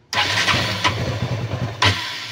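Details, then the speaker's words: KTM Duke 200 that stalls at idle and cuts power when running: engine cranks, catches briefly with an uneven, stumbling beat, then dies; leaking fuel pump hose, fixed by replacing the hose. "yan ayan hindi siya nagtutuloy yung ah pag-andar ng motor namamatay siya ayan ayan namamatay"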